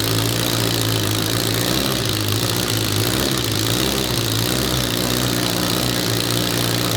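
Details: Billet four-rotor rotary engine on open headers, fired by an Adaptronic M6000 ECU, idling by itself at first start: loud, raspy, steady rhythm with no misses or hunting; stable, healthy normal idle.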